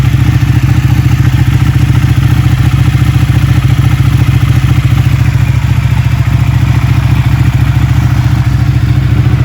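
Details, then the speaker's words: Ducati Panigale 1199 V-twin, first start after a rebuild with the coolant cap off to bleed air and some smoke, runs a deep, loud, lumpy beat at about 3.5 pulses per second, steady with no knocks; normal running. "It works. It works. It sounds amazing."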